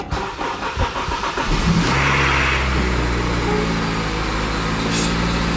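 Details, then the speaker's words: Acura RSX Type S not started in months, cold start out of gear: short crank, catches first time, blips up, settles to steady even idle with no misses or knocks; motor sounds healthy. "this car hasn't been started in months yeah we know we got to get rid of all of that kind of rough on that side but the motor sounds healthy"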